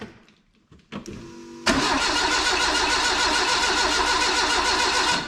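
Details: Renault 5 GT Turbo engine in a van on a Max ECU, injector scaling set for 600cc but 150cc injectors fitted, throttle cable not yet connected: the starter whirs steadily at about 3.5 turns per second but the engine never catches.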